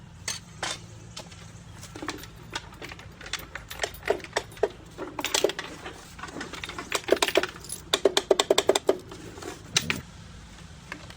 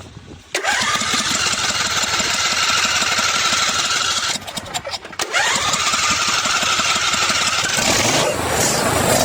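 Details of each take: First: John Deere D140 riding mower, sat unused for two years: starter solenoid gets 12 V in and clicks sharply but passes no 12 V out and doesn't crank; suspected intermittently failing internal contact. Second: John Deere D140 riding mower, after cleaning varnish-clogged idle jets that caused constant surging: engine catches at once and holds a steady buzzing speed with one brief dip and clean recovery, no hunting or surging.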